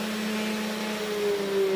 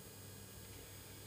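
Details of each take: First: 500 W air-cooled ER11 CNC spindle switched off: a clean whine drops in pitch as it coasts down, with no grinding or rattle; healthy. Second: 500 W air-cooled ER11 CNC spindle with power supply, at low speed set by potentiometer, with its cooling fan blowing: steady hum with a rattly buzz because it sits loose on an unfixed wooden board, causing vibration.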